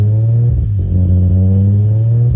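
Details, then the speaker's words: Toyota Supra 1JZ-GTE, first start on a new standalone ECU after 7–8 years on the stock ECU, fresh tune loaded, timing set: smooth, even low idle with a couple of brief blips, no knocks or misses; idling well. "okay so I got it taped off it's idling good"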